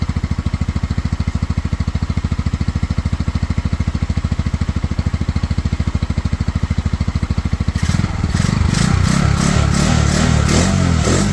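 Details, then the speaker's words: Pioneer Nevada motorcycle in the rain after rusty tank cleaned with white vinegar and new carburettor fitted, choke off: even single-beat idle, then clean crisp throttle blips, running smoothly on its own; slightly sticky throttle noted. Normal idle and revving. "um you know the choke is off so the bike is now fully running on its own idling she revs there"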